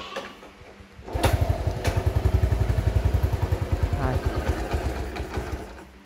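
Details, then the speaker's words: 1978 Honda Cub 70cc, all original, started without throttle after refueling; single cylinder settles into an even putter about three to four beats a second, no knock or rattle, no cam or rocker noise; a smooth normal idle. "Các bạn nghe cục máy rất là êm nha. Cục máy cực kỳ êm luôn nha các bạn. Đầu cam cò không kêu nha."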